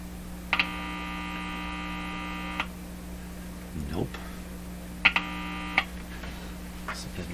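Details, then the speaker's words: Electrohome Cosmic tube radio with distortion and weak output, while a point is grounded with a clip lead: constant low hum with bursts of buzz and tones; noise injected from the wrong side of a resistor is suspected, not confirmed. "so what i'm actually doing is i'm injecting a bunch of noise you know because i'm above this resistor here i think that's probably the problem"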